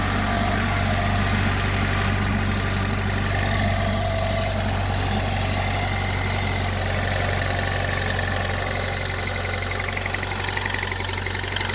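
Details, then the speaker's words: 2008 Pontiac Solstice GXP, cold petrol idle after sitting an hour: thin whirring, winding tone above the engine note that fades once warm past about 100°, returns on throttle, gone at 194–205°; cause unknown, mechanics unsure. "can anybody tell me what that noises it initially starts when I turn on my car and it goes away if you get warmed up"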